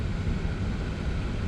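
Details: Audi Q7 heater blower motor after removal, cleaning and lubrication, refitted and stepped up through fan speeds to twelve: steady, even air rush and low hum, no squeak or chirp yet; squealing later returned, so owner replaced the motor.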